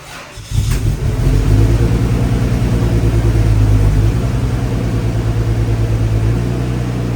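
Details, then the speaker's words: Lexus GS300 2JZ-GE daily driver, cold start: cranks, catches and settles into a slightly uneven idle, misfiring; also losing coolant, white smoke and milky oil, traced to head gasket failure with cylinder 1 wet and lower front compression. "Right before I was going to work, the car actually felt like it was kind of misfiring at cold start."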